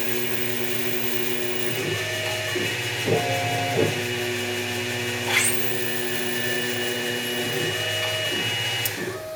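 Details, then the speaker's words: Reaming pivot and stop-pin holes in a knife blade at reduced spindle speed: short thin squeal as the reamer bites, then steady quiet even cut; correct speed, sounds perfect. "you can hear it if it's at the right speed that sounds perfect it's just a little squeal at the beginning and then"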